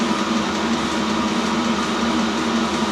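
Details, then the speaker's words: New self-contained Chinese diesel heater on first run, output air measured at 70 °C; steady unbroken blower and burner roar with low hum, no pulsing; normal running at full heat. "Putting the air out there, it's up to 70 degrees C. Nice and warm, spot on."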